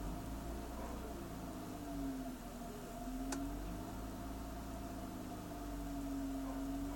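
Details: BMW E46 at idle: low, quiet idle hum with slightly uneven throb and small dips in level; rough idle, cause undetermined.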